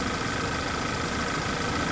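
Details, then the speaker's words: Audi/VW 2.0T, freshly rebuilt engine, first startup (title cites P0171 and PCV breather). Steady idle with a thin, high-pitched hissing, ringing whistle; suspected vacuum leak, not yet confirmed. "there's a vacuum leak i hear a hissing noise it's kind of a high pitch kind of a high pitch ringing"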